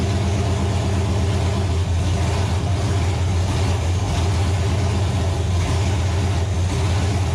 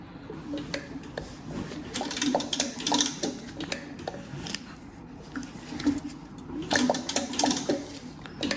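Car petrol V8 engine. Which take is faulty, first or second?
second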